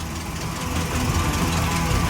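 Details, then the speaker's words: Chevy C20 350 V8 with 3-speed auto, restart after a drive: steady, deep idle with even burble, no knocks or misses; sounds good, running healthy. "wow it sounds good now"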